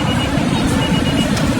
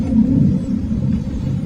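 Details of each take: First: Vehicle with a crank-no-start problem, MAP and intake temperature codes cleared, fuel pump wire checked: engine now started and running steadily with an even low rumble and no misfire; problem solved. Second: Car with MAP and intake air temperature sensor codes (P0102, P0103) cleared: starter spins steadily about four seconds, twice, engine never catches; crank no start from a fuel pump wiring fault.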